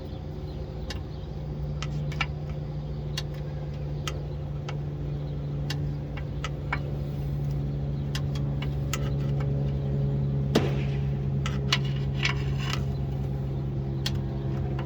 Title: 305 SBC/TH350 - Ticking Noise - Torque Converter Failure or Cracked Flexplate ?